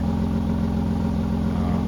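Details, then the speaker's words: 1986 Ford F350 6.9 IDI diesel at idle after exhaust welding, only about 10% quieter: loud, rapid, raspy puffing chuff, exhaust gas still escaping; owner suspects unchecked spots around the welded flange or a missed weld. "maybe I missed a spot welding but it's pretty significant"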